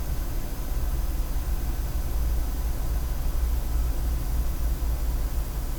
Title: Corsair GS600 PSU strange noise